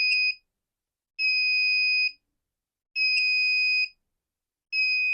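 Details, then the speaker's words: Wagan Elite 400 W pure sine inverter, no load, input voltage lowered slowly: long shrill warning beeps about every 1.8 seconds starting at 10.6 V, before shutoff at 10.2 V. "So 10.6 we start to hear the beeping. And I bet you it's going to kick off here probably at the same 10 volts even"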